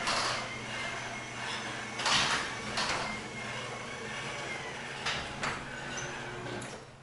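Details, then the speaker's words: Garage door with belt opener opening before lubrication with white lithium grease: loud rattling and scraping with sharp bangs and squeaks over the opener drone; noisy door, rail and rollers to be greased. "but I still want to make it where it sounds a lot quieter now I'm going to open it here you see how loud it sounds"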